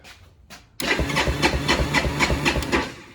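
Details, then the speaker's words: 1986 Kawasaki Bayou 300 after replacing failed starter one-way bearing: starter engages cleanly, no more clicking, cranks evenly about four pulses a second with strong compression; normal cranking. "I think we got it. It doesn't make the clicking sound anymore."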